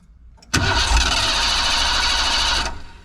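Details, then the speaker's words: 1987 Ford van, long-parked former school van, not carbureted: about two seconds of steady cranking that nearly catches but never fires; fuel pump runs but builds no pressure at all, spark not yet checked. "Yeah, we're not getting any pressure at all. So just just because your fuel pump is running doesn't mean it's working. Just cuz it's running doesn't mean it's building pressure."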